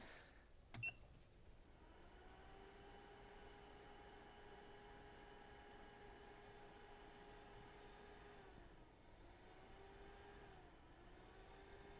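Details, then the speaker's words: MacBook Air A1466 820-00165 logic board with shorted PPBUS rail, fed from a bench power supply: faint steady whine with a couple of brief dips as the supply holds back current against the short. "and you can really hear the power supply holding back the current we can't control current but we can resist it"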